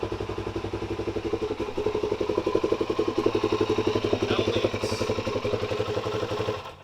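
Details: Suzuki DRZ400SM single after the leaky fuel petcock was repaired (seal, sealant and tape on housing, no more leak): even thumping idle about four pops a second, steady and clean until switched off; normal idle.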